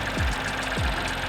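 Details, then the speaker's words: Car at an auction inspection, idling a little rough, heard under the hood; dull thump about every 0.6 seconds over the hum as the engine rocks on a worn engine mount that lets that side shake. "i can see what the rattling problem is this engine mount's doing nothing that's why that whole side of the engine is shaking"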